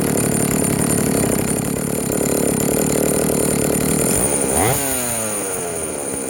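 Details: Vintage Jonsereds 70E two-stroke chainsaw, first run after major cleaning and fitting an unknown cooling fan; smoking from oil put down the cylinder; buzzy at speed, then revs drop cleanly into a steady idle. Normal running and idle.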